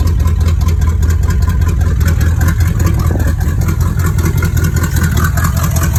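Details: 1986 Cutlass V8 with a rebuilt Rochester Quadrajet 4-barrel, cold idle on choke, not yet warmed up: deep even rumble with steady beat, no misses or stumbles; choke opening properly.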